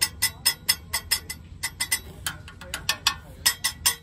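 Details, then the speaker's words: 2005 Honda Odyssey, rattle heard only when accelerating: sharp, tinny metal clinks about four a second from a loose part under the van striking nearby metal; fixed by securing it with a hose clamp. "so I think it's this loose part right over here going hit that and that's what I hear and I really only hear that when I'm accelerating"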